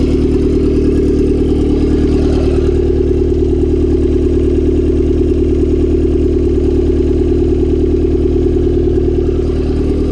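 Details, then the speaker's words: Turbocharged Honda Civic D16Y7 on a cold start the day after spinning a bearing shell: loud idle with a steady clatter of about two knocks a second over the engine, a spun rod bearing knocking, and no oil light on. "So a day after I spun a shell, figured better give it a start, see what it sounds like today."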